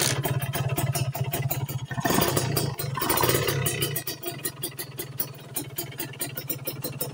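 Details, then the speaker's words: Two-stroke motorcycle at idle (langsam) about 1000 rpm after pilot-jet/main-jet carburettor tuning; crackles and burbles settling into an even, slightly ragged beat, no knocking: normal idle. "Nah Oke kita coba hidupkan motor ini ya kita mulai dari posisi ideal atau langsam"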